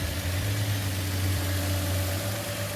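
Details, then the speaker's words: Subaru with 154,000 miles, started at auction walk-around: smooth, even low hum with no knocks, ticks or misses; normal idle, though a few warning signs were noted. "it's a Subaru the car runs fine it sounds good just a couple kind of signs that's something maybe up"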